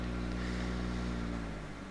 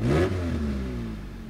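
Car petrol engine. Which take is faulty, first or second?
second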